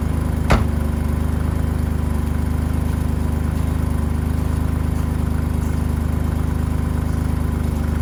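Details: 1985 BMW E28 535i, M30 engine, cold start at 19°F after sitting months: steady low idle with faint rhythmic puff on exhaust note; pre-existing exhaust leak where headers meet catalytic converter, coolant leak also found.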